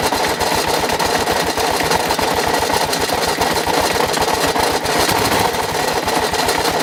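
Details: 2006 Kawasaki KLR650 single-cylinder at 25,000 miles with regular oil changes suddenly developed a loud, busy metallic rattle at idle over its quick, even firing beat.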